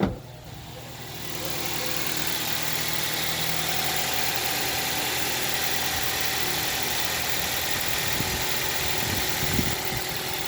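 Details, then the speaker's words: Toyota Celica idling after timing chain tensioner replacement: steady even idle, smooth hum, no chain rattle; the slight clicking heard before with the old tensioner is gone, engine sounds healthy. "okay the sound is slightly different to before I I think I think the the slight clicking sound is gone"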